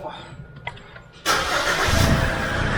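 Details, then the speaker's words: SsangYong Rexton Sports Khan diesel after refitting a turbo-to-intercooler intake hose whose old band clamp had failed, causing loud air hiss and loss of power above 2000 rpm; short crank, then steady even idle with no hiss, back to normal. "아하, 다시 정상으로 돌아왔네요."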